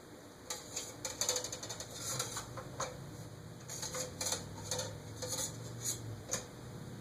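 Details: Eagle Grand Duchess (Eagle Fan Corp 2811) retractable-blade ceiling fan, blades fully extended: irregular light ticks and clicks over a quiet hum, coming from the motor, not the blades; noise worsening, owner suspects the top bearing.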